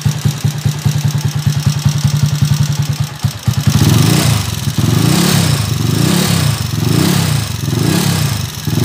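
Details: Honda TMX155 single-cylinder engine idling with a loose, clattery thump, then revved in repeated blips; very noisy engine, loud first gear, first gear and main shaft to be replaced in overhaul.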